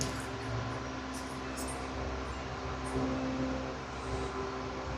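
Steady motor hum with a rough, gritty whir over it: a ceiling fan with worn bearings.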